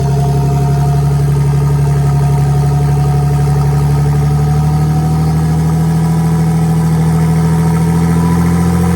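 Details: V6 RWD bi-turbo Mini on startup: a steady drone sits high and creeps upward instead of settling. The owner suspects the ECU has lost its memory and is relearning, possibly air leaks.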